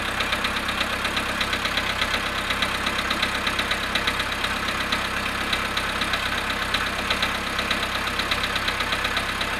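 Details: Volkswagen Polo sedan at -1°C cold idle after standing 19 hours: steady ticking knock about once per second over the engine; knock after a freezing start, cause unclear.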